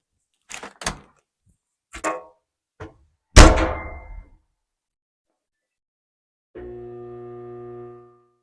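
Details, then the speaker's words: Samsung dryer with microphone inside the drum: steady electrical hum with no run-up as the weak-winding, defective drive motor fails to start; motor and blower assembly DC93-00101N replaced. "the reason we are replacing this motor and blower assembly is because the dryer makes Hamming noise when we try to start it it does not start"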